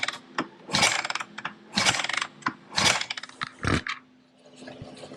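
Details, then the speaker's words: 2010 Kawasaki KX450F with top end rebuilt and head valves redone, after stator test and new spark plug: four heavy kicks about a second apart with no firing; cranks but won't start, cause still unknown. "time to look a little further all right so we've tested the stator we've put a new spark plug in it"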